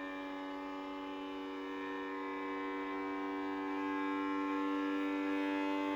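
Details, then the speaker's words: Sovol SV07 (Plus) 3D printer running a Klipper input shaper resonance sweep on the Y axis, past 70 Hz toward 100 Hz: a steady hum rising slowly in pitch and getting louder, faintly shaking the table; normal. "You can hear the sound but there is actually nothing visible happening. We are past 70Hz. It's getting louder and louder."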